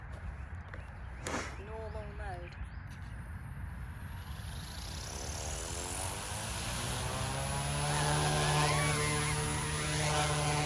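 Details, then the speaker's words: OMPHOBBY M2 RC helicopter test flight with tiny-whoop propeller on tail: thin, piercing scream climbing with wandering pitch, tail wandering; prop too weak and small, tail motor overworked. "kind of screaming no it's too weak I can already tell tales wandering"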